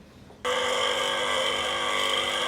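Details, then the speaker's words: 230 V single-phase AC motor driving a diesel/water pump, idle about two years, cleaned and reassembled, tested open; it starts abruptly and settles into a steady, even hum with a constant whine. Normal motor running. "donc je peux déjà dire que mon moteur fonctionne"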